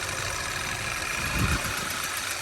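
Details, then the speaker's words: 2012 Audi A4 quattro 2.0T, 113,000 miles, flashing check engine light for misfire: rough idle stumbles harder with coil two unplugged, so cylinder two is firing; cylinder three suspected dead. "i'm gonna see if i can sneak number two out that made it worse plug that back in"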